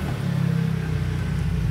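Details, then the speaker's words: Aqua washing machine spin-dryer motor: steady low electrical hum, drum not turning, motor powered but stalled; only spins after tapping, suspected worn shaft bushing, hum can also come from a weak capacitor or capacitor wiring fault. "ya kita coba tes sekali lagi Nah itu enggak mauemutar ya"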